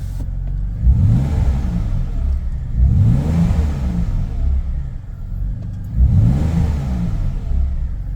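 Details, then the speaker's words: BMW E46 320i drift car after the whining, squealing power steering pump was replaced with a ZF LF30 drift pump: the engine revs up smoothly through repeated rises with no whine. The steering pump sounds quiet and healthy. "It's nice that the compressor noise is gone. The car revs up nicely. It's nicer in terms of it's simply better to listen to it."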